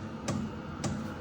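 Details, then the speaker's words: BougeRV portable diesel heater during its 3–5 minute startup cycle: sharp clicks about every half second over a low hum from the fuel dosing pump, loud at first and expected to quieten as it heats; normal fuel pump ticking. "You can hear that ticking. That is the fuel pump. Now, it starts off kind of loud, but I'm sure it's going to get quiet as it heats up."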